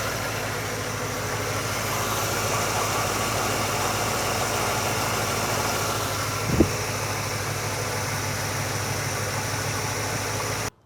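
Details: Carbureted V8 with an Edelbrock VRS-4150 650 CFM carburetor after idle mixture and idle speed tuning, idling evenly with a smooth low rumble and no misses or stumbles; healthy settled idle.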